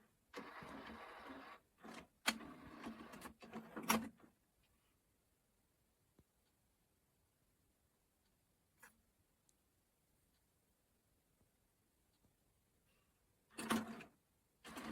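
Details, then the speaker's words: Sony DHC-ZX50 mini system, five-disc CD changer, probably empty: short bursts of whirring and clicking, a long pause, then more motor whirs as it checks through the disc positions; normal CD changer operation. "It's going through kind of checking everything. Don't think there's any disc in here actually."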